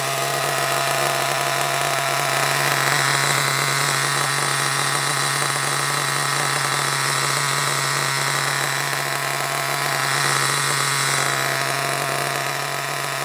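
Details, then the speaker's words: Hobao Hyper ST nitro truggy with a glow plug fitted, just after first start: a high, buzzy scream holds a steady tone that wavers now and then, hinting at lean running. Owner suspects an issue with the fuel tank and plans to fit a new tank. "I think there's a bit of an issue with the tank I think I'll definitely put that new tank on because what I've noticed is it'll run absolutely fine for a bit and then it'll start to sort of go"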